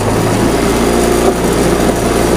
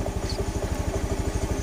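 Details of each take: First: Honda Beat FI scooter stumbling when throttled: uneven sputtering idle that sags twice and dies near fourteen seconds; fuel pressure measured under 10 PSI, far below normal, so fuel system checked before throttle body service. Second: Honda Beat FI after fuel pressure restored to normal 40 PSI; steady, evenly spaced low thumps with no stumbling or misses, starts straight away; normal idle.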